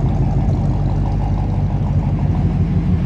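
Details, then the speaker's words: 1955 Ford Y-block V8 after four bent pushrods were replaced and valve lash set, air cleaner on, heard outside with the hood down: steady low rumble, smooth exhaust note, no top-end ticking, much quieter than before, normal idle after repair. "I don't know but is definitely a lot quieter and sounding a lot smoother"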